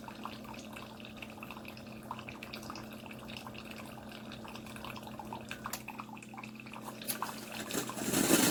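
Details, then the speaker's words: Chefman single-serve K-cup coffee maker with 40 oz reservoir; low steady pump hum with trickling water, then a clatter as brew shuts off far too early with plenty of water left. "And that fast. It's starting to shut down. And that fast, it shut off."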